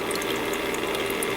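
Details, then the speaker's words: Master Chef countertop ice maker, newly fitted replacement water pump running: steady mid-pitched hum with fast uneven rattle over water gurgle, not whining; cause of noise unclear. "so I'm not totally sure what all was making that noise or what would be making that noise unless it's the fact that this came off of something"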